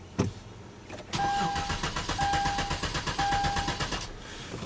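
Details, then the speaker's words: 2011 Hyundai Genesis 3.8L, crank no start, battery on charger: steady even starter cranking for about three seconds, never fires or catches; failed fuel pump delivering no fuel. "as you guys can hear the engine cranks over but it doesn't start"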